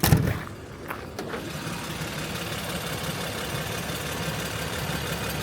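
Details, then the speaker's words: 1956 Bentley S1 Saloon, about 70,000 original miles, heard with bonnet open; soft, steady, even low hum with no knocks or ticks; smooth, quiet normal idle. "It is the weirdest mechanical machine ever. Just no noise. Yes, that is running."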